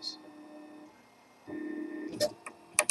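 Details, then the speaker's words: Makergear Prusa 3D printer with coarse GT5/T5-type belt instead of GT2; motor hum with sharp irregular clicks as the large belt teeth knock while the axis moves; owner considers replacing belts. "Yeah, those clicking sounds. That's from the the notches on the belt actually hitting."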